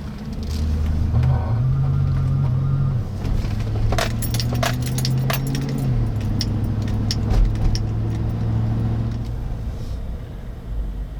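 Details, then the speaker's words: GM Yukon (99–06 fullsize platform) during low-speed accelerations on bumpy road: low pulsing droning grumble at crawling speed, first symptom; worn front hub bearing, later triggering intermittent traction control activation and errors. "okay right away did you guys hear that weird low pulsing noise no indicators tripped or anything but you heard the immediate sort of low grumbling that was the first symptom I started experiencing before anything else happened"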